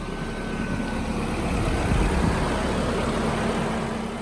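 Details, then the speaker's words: 1992 Nissan 240SX S13 after on-the-fly fixes for electrical issues, blown plugs and popped hoses: fires right up into a steady, even idle with a smooth low rumble and no knocks or stumbles; normal idle. "Okay. Fire right up. So far so good."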